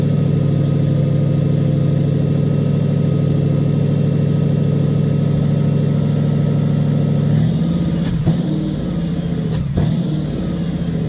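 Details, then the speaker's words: 1956 Dodge after new mufflers, plenum repair and new parts: steady low drone with an even beat and no stumble or shake, idling much smoother and not vibrating compared with before the repair. "so much smoother though did you feel that yeah like it's not struggling it's not vibrating it doesn't shake as much as that"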